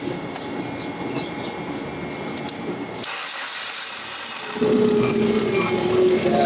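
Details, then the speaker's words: Forklift on a service call, during cranking and start: a rough scraping noise, a short gap, then it catches with a steady hum. The mechanic suspects the starter grinding against the flywheel or an intake manifold leak; unconfirmed. "it oh you know what it kind of sounds like it sounds like there's a leak like the intake manifold or something like I hear it right here it also kind of sounds like the um the starter is uh like grinding against the flywheel"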